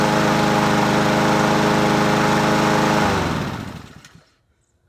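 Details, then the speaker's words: Husqvarna 7021P push mower with a Honda GCV160 engine and its original OEM carburetor, restarted after repair following about two years unused: a steady, even beat around 220 pulses a minute, then a clean shutdown. Normal running. "It runs! As Henry would say, scores! Because this was a free mower."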